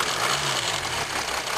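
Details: 2007 Jeep Grand Cherokee 3.0 CRD diesel idling, camera on the battery: busy metallic rattle over the engine note on the drive side; owner suspects timing chain rattle, not confirmed.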